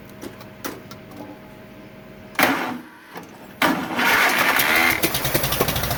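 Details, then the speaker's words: 1947 Farmall M tractor after rebuild: ragged, uneven firing with popping out of the carburetor and no power. It runs on only two cylinders. "it's only running on my two cylinders that I cannot figure out there's also a lot of popping coming out of the carburetor"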